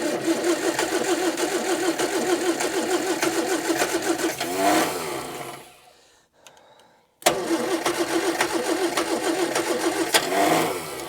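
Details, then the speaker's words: 1965 Morris Minor 1000 first start after 40+ years in a barn, carburetor refitted with new gaskets: the starter churns with ragged, out-of-step pops that never catch; it cranks but won't start, with plug leads in the wrong firing order and possibly too little fuel. "Right, so these are definitely in the wrong. I can hear it firing in the wrong order."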